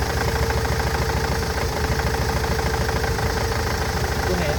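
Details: Nissan Interstar / Renault Master van at idle: uneven, lumpy beat, about three pulses a second, with occasional stumbles; misfire persists after injectors, fuel pipes and injector wiring loom replaced; engine misfire at idle.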